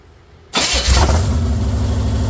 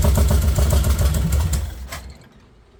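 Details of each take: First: Chevy 454 swapped into a 1971/72 Pontiac LeMans, first start on open headers with the exhaust not yet welded on, foot off the gas: loud, lumpy, rocking idle, rough running. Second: Chevy 454 big-block swapped into a Pontiac LeMans, first start on open long-tube headers with no exhaust fitted: loud raw V8 bark that dies, refires and settles into a sharp lumpy rumble; normal start-up.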